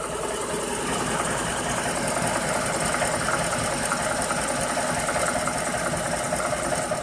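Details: Ford Coyote V8 idling with a light, fairly quick ticking knock riding over the exhaust note; cause not pinned down, suspected only; engine knock at idle.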